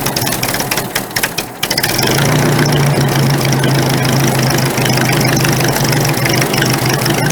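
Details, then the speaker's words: Carbureted engine with the choke partly out, after turning an unidentified carburetor screw one full turn: it catches and runs with an uneven lumpy beat and irregular stumbles, still misfiring. Cause unknown. "so I just turned that one full turn still running like garbage all"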